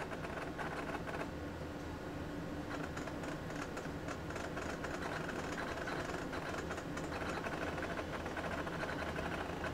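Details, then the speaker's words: AT&T Unix PC (7300) booting from a real physical MiniScribe hard drive: steady hum with rapid, busy clunky seek clicks, normal for this old loud drive. "and you can hear what sounds like a real hard drive because well it is a real hard drive this is not one of the emulated hard drives that I'm using here this is actually a real physical mini scribe the good old loud ones listen to that clunky clunky clunk"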